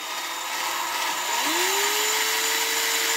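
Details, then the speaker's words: Cylinder head valve hand-lapped with cheap hand tool and grinding compound, rotated back and forth: high steady whirring with gritty hiss; valve lapping into seat. "not too aggressive up in and out you could hear the valve branding now we go the opposite way same procedure"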